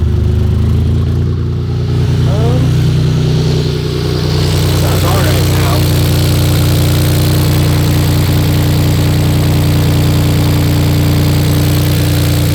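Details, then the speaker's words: BMW E46 drift project car, just bought; steady idle with uneven, lumpy pulse and occasional stumble under a low drone after clearing codes including cylinder 6 misfire; misfire now present that wasn't there when first driven out. "It sounds like I have a misfire now. Not something like that when I just drove this thing out."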